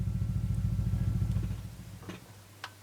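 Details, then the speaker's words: 1965 Ampeg Jet J-12T tube combo amp: fast, steady low thumping pulses through the speaker when the tremolo is on, its low-frequency fluctuation amplified through the valve into the signal. "thumps badly because it's some fluctuates in the input here now a low frequency which has being amplified through this valve here"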